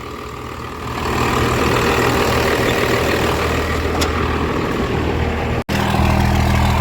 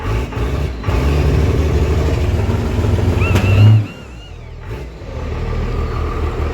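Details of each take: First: Diesel truck with MBRP exhaust, backfired on start: deep, even rumble settling into a steady idle with a throaty exhaust note; smooth, healthy normal idle. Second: Diesel truck with MBRP exhaust; deep rumble as it catches and revs, a few sharp pops before settling; backfire on startup but runs.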